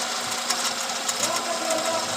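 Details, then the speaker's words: Engine with a misfire and stored cam actuator and system voltage codes, intake cam actuator already replaced; rapid light ticking over a rough, stumbling run with uneven thumps, the tick growing louder when a hose is reconnected; engine sucking air. "tumigil tapos meron siyang palya namal siya namal siya tapos lumakas yung tunog parang tiktik tik doon o lumakas yung tunog ba"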